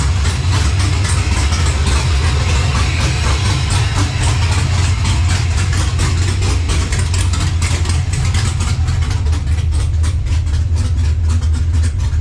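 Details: LS-swapped Monte Carlo V8 with big cam on ACES Jackpot EFI, first start-up while system is learning; deep, loud, steady lumpy cam idle with no knocks or misses; normal cammed idle.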